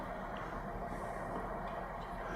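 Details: New Holland P4460 P-series air cart priming the seed meters with canola during the calibration wizard, auxiliary switch on and prime button held. A steady, soft whirring of the meter rollers over a low drone, even and unbroken; the meters are priming normally.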